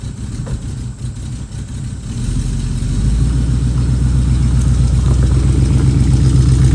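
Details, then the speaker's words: 1969 Mustang that sat 15 years, driving off after new exhaust fitted: deep, even burble that steadies and firms up as it pulls away, no misses or knocks; runs pretty good, normal. "it for a test drive, and runs pretty good, sounds good."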